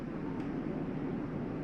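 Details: 2022 Palomino Columbus 379MBC, zone 1 set to electric heat at 90: rooftop unit kicks on with a steady airy rumble and low hum, even in level; normal heater operation.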